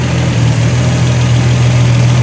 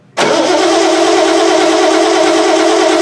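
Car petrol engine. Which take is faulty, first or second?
second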